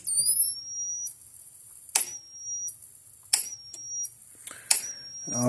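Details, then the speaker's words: 2004 Gallagher B1200 battery fence charger, case open, after refitting the original output board: high thin rising whine pulsing about every 1.5 seconds, each pulse crisp and even. "now we'll go to medium power you'll hear the change the clicking sound the the speed the winding up noise is shorten up a little bit cuz it's"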